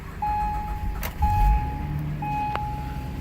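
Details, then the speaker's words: 2012 Acura MDX, cold start below freezing: low even idle rumble, no knocks or misses, repeating door chime; normal cold start idle. "problemo. Again, sounds good."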